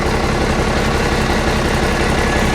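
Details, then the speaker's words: Komatsu D85E bulldozer diesel after retiming the injection pump and fixing the loose, worn pump drive coupler with cracked drive disks, previously rough with blue smoke and backfiring: even steady idle, no misses or knocks, no smoke; normal idle. "there's our drive shaft turning down there yes I would say I got it Tim right Run's beautiful"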